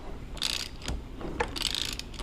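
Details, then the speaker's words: 2001 Kawasaki KLR 650 with knocking, head coming off for a 685 kit, engine turned by hand with loose spark plug (no compression): ratcheting clicks and a single dull clunk partway through rotation, cause unknown. "I'm spinning the motor and you can hear that clunk I don't know what it is"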